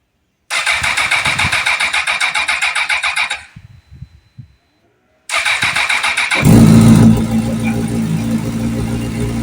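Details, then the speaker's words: Rebuilt 2005 Honda CBR1000RR, first start after reassembly: rapid even starter whirring about four pulses a second, stopping and restarting, but the engine never turns or catches; owner suspects the starter clutch or starter. "This one, you just hear the starter turning, nothing happening."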